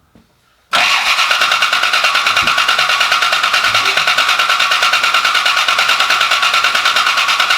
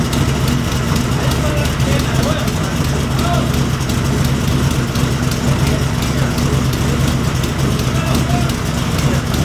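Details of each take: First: Rebuilt Cobra V8, first start attempt, pressure 55: even starter cranking at about three beats a second, never catching. Ignition timing off because the distributor was misplaced; pulling, resetting and refitting it made it fire right up. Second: Wrecked Cobra rebuild, first start with Holley display, pressure 55: fires and settles into a steady, even low idle with no knocks, misses or surging; temperatures and fuel pressure read fine; normal idle.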